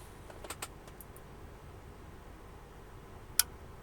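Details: Sony XES M1 car amplifier after repair with a test transistor fitted: a cluster of faint ticks, then one crisp click as it switches on normally.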